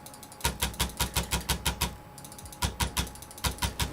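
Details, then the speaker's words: AWD Voron V0.1 3D printer, X axis moving back and forth: rough, notchy buzz pulsing about three times a second, super chunky; Y axis sounds quiet; X motors suspected to be fighting each other, not confirmed. "sounds super chunky"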